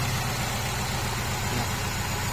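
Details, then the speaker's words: Honda CR-V 2nd generation (LPG-equipped) after the faulty ignition part was fixed: smooth, even low idle with a steady rumble and no shake, miss or stumble. The stumbling is cured. "หายๆแล้วเป็นที่ตัวนี้เนี่ยเครื่องเดินเรียบเนี่ย"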